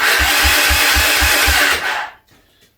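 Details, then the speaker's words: Honda Big Red 300FW ATV cranking on the electric start with the HT lead pulled so it won't fire: a loud, high squeal over rhythmic cranking thumps, recorded close to the starter motor and seemingly coming from it or its drive gears. "Right, it sounds to me like it's coming from the starter motor or some of the mechanism very close to the starter motor itself."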